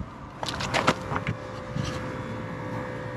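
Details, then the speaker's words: Land Rover Discovery 2, ABS bleed sequence with ignition on and brake pedal pumped five times: a steady electric hum comes in over a few clicks and holds even, the ABS pump running normally through the cycle. "i'll just initiate the bleed sequence on it now um which i'm sure you all know send the ignition on pump the pedal five times one two three four five"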